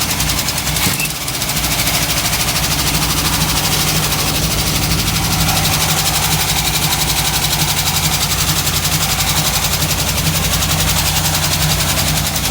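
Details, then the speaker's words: 1958 Chevrolet Biscayne V8 after carburetor rebuild, smoking from the headers: loud idle with uneven loping beat and a stumble about twice a second; still sounds like it's missing a cylinder, owner suspects valve seals or rings. "might need new rings but runs still sounds like it's missing a cylinder though"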